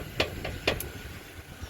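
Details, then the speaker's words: Ford Focus front suspension, wheel lifted and rocked by hand: two or three sharp metallic clunks; loose lower ball joint. "เอาลองยกดูลูกมาตัวนี้มันดังแก๊กๆแล้วก็ลูกไม้แขนแหละตัวนี้ก็ดังดูหน้าเขาฟังเสียงฉันแรกก็แมะรวม"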